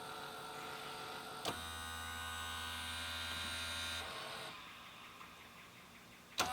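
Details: Sony SLV-676UC VHS VCR with a tape stuck inside: after pressing eject, a small motor whirs steadily for a few seconds but no tape comes out and play won't work.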